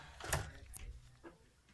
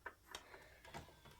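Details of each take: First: Xbox One S console, disc inserted: clunk as the disc pulls in, then soft, evenly spaced whirring pulses as it spins up and reads; normal load, unlike an Xbox 360 disc that makes weird noises and won't read. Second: Xbox One S disc drive with a dirty Xbox 360 Burnout Paradise disc; scattered light ticks and short whirs as the drive keeps retrying; disc drive clicking on a dirty disc.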